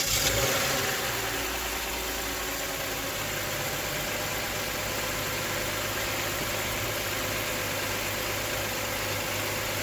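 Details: 2012 Toyota Sienna 2GR-FE after replacing only the belt tensioner pulley; smooth even idle with steady belt hum and no squeal, chirp or rattle from the pulleys: normal idle.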